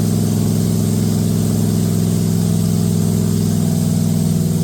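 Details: Date-coded 1969 383 HP Super Commando V8, just swapped into a 1969 Plymouth Road Runner from a Barracuda, run with good oil pressure: strong, steady, even rumble at a raised idle with no clatter or misses. Healthy fast idle.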